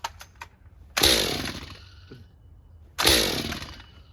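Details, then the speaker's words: Stihl MS201TC M-Tronic climbing saw, low hours, plug found flooded: two pulls each give one sharp pop that dies without catching despite spark. A broken M-Tronic wire causes the single pop and no start. "so here's the deal that is a definite sign that I've got a broken wire and I'll tell you a short story so that'll help better explain this"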